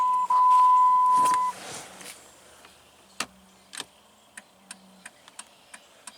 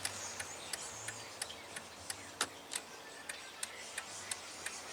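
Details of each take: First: 2000 Jeep Grand Cherokee, key on, after replacing the multifunction turn signal switch for an intermittent dead left signal: short tone then sharp uneven clicks; right signal works, left still dead; owner suspects a loose connection at the switch plug. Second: 2000 Jeep Grand Cherokee after turn signal switch replacement, key on, left signal working again after using the hazard flasher: light even ticks about three per second; normal turn signal flasher operation, though the fault may still be intermittent.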